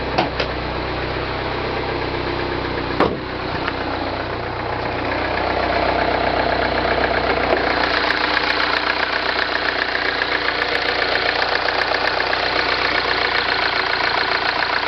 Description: 09 MINI Cooper S. Timing chain rattle on cold start. AKA, the death rattle.